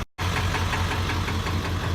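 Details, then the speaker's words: 1994–1997 Ford F250 OBS diesel after fuel bowl removal, new fuel lines, HPOP o-rings, turbo pedestal delete and new intake boots, following a no-start problem: steady even diesel clatter at idle, no misses or surging; runs well. "so moms like oh yeah it does run pretty good"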